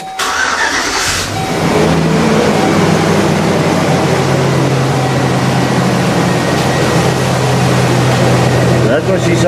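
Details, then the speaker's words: Truck running with the full exhaust on before the pipe is removed down to the Y-pipe and resonators. A steady deep exhaust rumble with no ticking; it is running better after several runs. "i'm kind of curious to see how it sounds but she's running better she's not ticking because i've had it going a few times so that's good"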